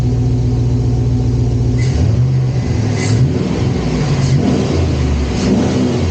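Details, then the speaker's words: Chevrolet SS Intimidator (Dale Earnhardt edition) after repair, part angled away from the knuckle: steady, even engine drone with light rev swells, no ticking or clunking; earlier noise gone, normal running after repair. "sounds like that's fixed it."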